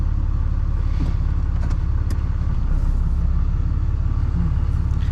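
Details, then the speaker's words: Freshly rebuilt 6.7 Cummins diesel at warm idle in the shop before the hot-retorque teardown; check engine light on, which the owner thinks is from the turbo: a deep, even rumble with no knocks or rattles; a normal idle. "purring. I love it."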